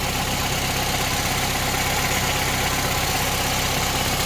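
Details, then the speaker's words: Honda Civic Type R FN2 after fitting a sports cat and manifold: steady, even idle with a smooth low rumble, no puffing or ticking under the car; check engine light on from the sports cat. "there's no sounds over like a gas leak or anything underneath the car it sounds like a gas leak but it still sounds fine back here so i think we're going to call it a success"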